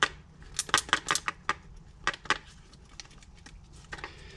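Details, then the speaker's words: Removed rebuilt Wilson starter from a Merkur XR4Ti, replaced for the seventh time, shaken by hand: sharp, irregular metallic clinks and rattles from loose internal parts; it sounded like junk going down the road and something fell out of it. "listen to this it just sounded like absolute shite going down the road listen to this just just garbage i actually felt something come out of it that time just junk absolute chunk"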